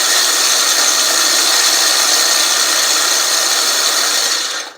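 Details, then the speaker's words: California Trimmer RL205H 20-inch 7-blade reel mower with a Honda GX120, backlapping in reverse with more compound after the reel-to-bedknife screws were tightened. A steady, high hissy grinding then winds down, which is normal. "so I'm going to go ahead and continue to run my reel here with a little more Compound on it because I haven't quite done it for five minutes"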